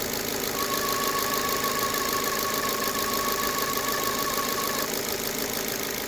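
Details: 2009 Ford Fiesta 1.4 Zetec petrol at idle: thin steady whine near 1 kHz over an even idle, from around or at the alternator; cause suspected, not confirmed.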